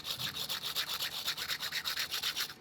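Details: Toyota Hilux 1KZ clutch release bearing, removed during engine rebuild, turned by hand: gritty, rasping scrape pulsing about six times a second. Bearing is worn out.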